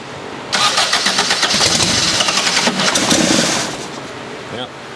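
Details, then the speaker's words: Dune buggy during tuning, trigger offset corrected to 70 degrees so the engine now syncs where it would not before: short crank, then it catches and keeps firing with a steady even pulse; startup tuning still unfinished. "Still got a little bit more to do, but it's synced. It's running. It's alive."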